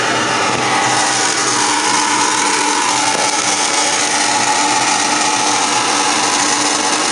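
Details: Furnace at start-up: a loud, even, raspy whirring roar with a gritty edge, likely from a rough motor or blower; cause not yet clear.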